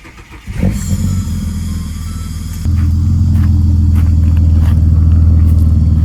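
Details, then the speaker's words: Ford AU Falcon inline-six, misfire found under decent/heavy load, persisting after new leads, plugs, fuel filter, cleaned TPS, MAP sensor work and bench-tested injectors: lumpy idle, sharp throttle blip stumbles then clears; owner narrows it to fuel pressure. "Yeah, there's the mess. There's a miss with like a sharp blip. But then it clears."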